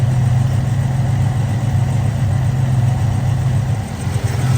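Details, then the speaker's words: Holden HZ Kingswood wagon, 202 six, Trimatic, extractors, points ignition, 324,000 on the clock, after new reco carburettor and fresh fuel, warm after nearly an hour: steady even low rumble, no stumbles or knocks, every cylinder firing; normal idle. "It seems to be running idling a lot smoother than it was when I first started it. Every cylinder seems to be firing."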